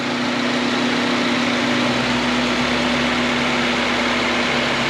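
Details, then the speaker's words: 2011 R57 Mini Cooper S with a road-noise complaint, car lifted and wheel spun under engine power to check the bearing: an even, steady hum with no grinding. The bearing is healthy; the noise was traced to bumpy tires. "no grinding noise okay next side yeah there's no grinding at all what about the front"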